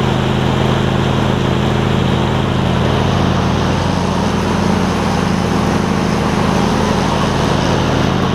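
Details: John Deere LX277 riding mower after fitting a deck from a parts LX178: even, steady engine drone at constant speed with no knocks, misses or belt squeal; running smoothly and healthy.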